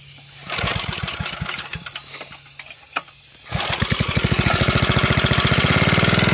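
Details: Propane-fuelled generator engine run on the ground with the propane valve opened: quiet, then a few uneven chuffs as it catches, settling into a steady, fast single-cylinder putter. It starts and runs cleanly on propane.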